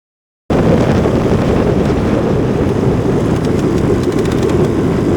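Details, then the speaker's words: Kawasaki KX450F single on fresh oil, under half to three-quarter throttle pulls. A loud, sharp, fast tick over the engine roar, steady with throttle, before the engine locked up. Teardown found head damage, suspected valve train. "Nice loud tick tick track. And when it made that noise, I had to clutch in after good half throttle, 3/4 throttle pulls on fresh oil, mind you."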